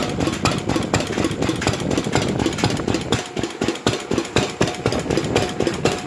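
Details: R.A. Lister Junior type B 4 hp single-cylinder engine, first run after complete teardown and rebuild: steady, even thumping about two beats a second, clean exhaust note, no knocks; running normally.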